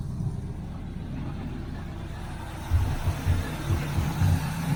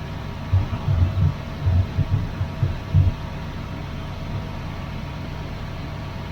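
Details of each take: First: 1981 Chevrolet Camaro Z28 V8, carburetted, after fixing electric fuel pump mounted at rear near tank, filter now full: steady low rumble picking up after a few seconds and running evenly; carburetor and distributor still need tweaking. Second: 1981 Chevrolet Camaro Z28 V8, carburetted, newly connected loud electric fuel pump possibly not pumping: low uneven idle lopes, sags and surges toward a stall; owner unsure it is fuel starvation, says it has been dying like this before.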